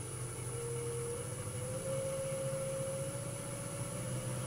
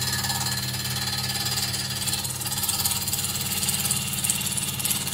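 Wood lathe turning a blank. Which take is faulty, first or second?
second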